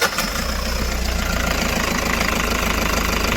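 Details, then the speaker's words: Toyota Hiace D4D common-rail turbo diesel at idle before an engine bay degrease: even, steady diesel clatter with a firm low thrum, no misses or odd knocks; healthy, normal diesel idle. "i hate the way new vehicles beep"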